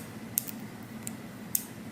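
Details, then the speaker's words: Hair shear tension screw being turned with the clicker plate nipple up: three crisp, evenly spaced light clicks, no grinding; the clicker detent catches properly so the screw will hold. "see if you can hear it it'll click if you've got that nipple sticking up"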